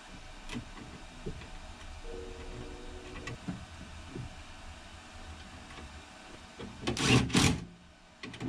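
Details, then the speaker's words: 1973 Ford E-200 Econoline with added flat-glass power window kit on curved glass: motor groans and labours with irregular clunks and a loud burst near the end of travel; window glass binding in its track. "Sounds pretty rough. See the rest of the track coming up. It's almost all the way down. No, it's right at the end. So, why is it binding at the top of the travel?"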